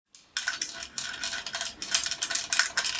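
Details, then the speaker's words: Brand-new Heltec HT-M2808 miner: bright, irregular clicking and clattering bursts each time the unit is shaken, from a small loose part rattling inside the case; it was then dismantled to fix. "So what we find, a strange noise inside the miner. It's something loose over there."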